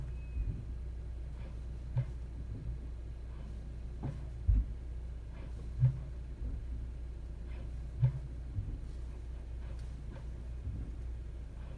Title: 2021 Honda CR-V Strange Noise From Underneath Braking at Low Speed